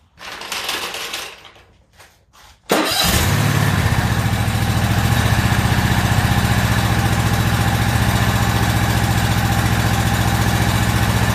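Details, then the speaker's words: Toro zero-turn mower, about a year old, after new spark plugs: cranks and catches at about three seconds, then steady pulsing run with slight unevenness; pulling the choke slightly for extra fuel smoothed it, still a bit rough. "what I was doing there is pulling the choke out just a little bit just to see if a little extra fuel to help it smooth out it did make a difference"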